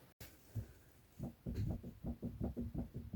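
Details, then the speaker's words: Mini R53, car raised on a jack stand: dull uneven low knocks, two or three a second, from the front steering, the same boom heard driving straight over bumps; felt through the boot at the inner tie rod, not the outer; the inner is replaced with a Lemförder part. "That's what I'm hearing as I drive down the road. Going straight just as it goes over the bumps. Boom. Boom."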